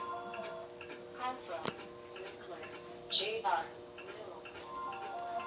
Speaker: as you can hear has a ticking in it and just watch just got a horrible sound to [Music] it and it'll give you error code